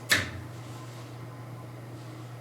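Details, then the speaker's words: Faux electric fireplace after the motor misalignment was fixed by sliding insulators under a loosened plate, with no foam used. A switch click, then only a faint steady low hum with no rattle or buzz. Quiet normal operation. "and it's silent. So we're gonna add our top without any of the insulating foam that I initially had put on."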